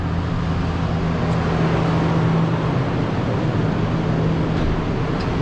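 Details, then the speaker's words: 2000 Toyota Land Cruiser, 302,000 mi, interference engine, just restarted after broken timing belt replaced, bent valves feared: deep, steady, even idle rumble with no knocks, ticks or misses; no tailpipe smoke, healthy. "No smoke out the tailpipe. That's a good sign. Wow, it sounds great. Wow, what a sigh of relief."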